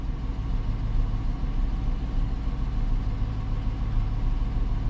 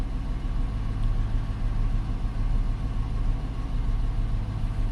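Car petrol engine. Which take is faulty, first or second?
second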